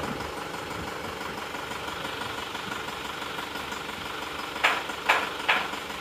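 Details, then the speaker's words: Isuzu Panther Touring diesel, before repair: loud, rough, uneven idle with irregular tak-tok tapping around two per second, sharp ticks and shaking, a weak cylinder from poor injector nozzles. Diesel misfire. "Suara mesinnya agak kencang dan suara tak-tak, tok-tok."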